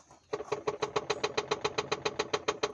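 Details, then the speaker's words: Audi A2 1.4 petrol with a rattle since the clutch was replaced; the dealer diagnosed gearbox play. A quick, even, tinny rattle from the engine bay's right side, seemingly from below the engine mount, heard on start-up, switch-off, bumps, gear changes and throttle. "So what I'm experiencing is a rattling noise. Rattling noise when I start the car, when I switch off the car, going over the bumps, switching the gears, or being in the same gear, just pressing the pedal, and I can hear this noise."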